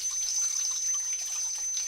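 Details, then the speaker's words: Old Grohe Grohmix thermostatic shower tap set to about 38°C, fed by an instantaneous boiler: a constant thin, very high whistle over rushing water while the water stays at the right temperature. The thermostatic cartridge is whistling, before repair. "commence à entendre le sifflement alors il siffle mais l'eau elle est toujours à la bonne température il y a juste le problème du du sifflement"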